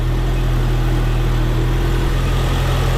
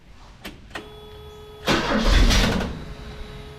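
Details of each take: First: Ford Courier with newly fitted GM one-wire alternator, after suspected PCV vacuum leak, reading 14.58 V: steady even low idle hum, no ticks, knocks or belt noise; engine and charging normal. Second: Ford Courier after swap to GM one-wire alternator, belt first wrongly routed on harmonic balancer: brief starter clicks, one rough catch that fades without idling; hard starting, owner suspects belt tension or a PCV valve vacuum leak.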